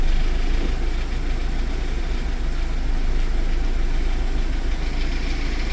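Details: VAZ 2109 engine after a full overhaul: steady low drone at idle, even and unbroken with no knocks or ticks. Normal idle.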